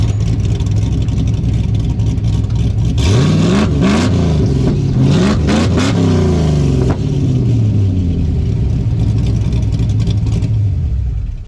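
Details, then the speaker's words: LS-swapped S10 Blazer with a cammed V8 on very old spark plugs revs hard, then sharp irregular exhaust pops and crackles on deceleration; the owner hopes new plugs will fix the backfire, but the cause is unconfirmed. "So, it has been doing this backfiring thing on deceleration. Like, whenever you get on it and you're decelling, it'll pop pop pop pop pop."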